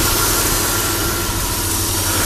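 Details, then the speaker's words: Chrysler Sebring idling, warming up, after repairing a 3-tooth valve timing jump; nice and steady; compression seems good, oil leak being traced. Steady, even hum with no knock from the valves; running smooth. "no problem it's nice and steady real static"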